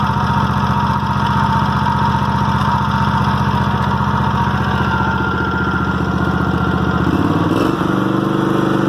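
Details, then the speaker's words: Toro walk-behind mower at about 3000 hours, never had plug changes or carburetor problems, clean air filter: steady, even single-cylinder beat at running speed, then throttles down cleanly to a smooth slower idle; sounds healthy. "I'll start it up for y'all. Y'all can hear how it runs and idles."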